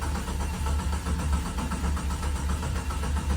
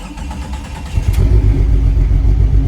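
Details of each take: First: Jeep XJ after plugging the fuel pump via a jumper and reinstalling parts; steady rhythmic starter cranking with no firing, then stops; cranks but won't start, crank sensor suspected and about to be replaced. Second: Junkyard-grade Jeep XJ with fuel pump priming: cranks briefly, fires and settles into a steady full low rumble with good oil pressure; starts and runs properly.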